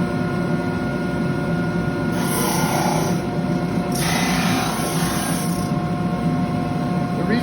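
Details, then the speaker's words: Segmented wood ring sanded flat on a 66-year-old Shopsmith lathe sanding disc at about 45-50 speed, dust collector running: motor hum with rough rasping bursts starting and stopping as higher segments touch; ring not yet flat. "reason you hear the noise start and stop is, again, there are some pieces that are higher than others, and so what it does, it's going to even it out so the whole thing is flat."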